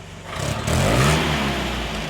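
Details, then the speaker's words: Land Rover Series 3 after compression test, valve clearance, static ignition timing and carburettor tuning; blips from idle but pickup sounds flat and stumbles before catching; lean idle mixture causing hesitation, cured by richening idle mixture screw. "if you listen to this it does sometimes hesitate going from idle to throttle"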